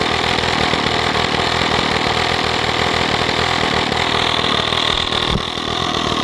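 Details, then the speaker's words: Stihl 045 AV chainsaw, first run after a brand-new piston and rings, no clutch fitted: a loud, fairly even, high-pitched two-stroke buzz holding steady at fast idle with no misfires or rattles, running healthy. "but this saw has a brand new piston and new rings in it that's the first time I've heard it run"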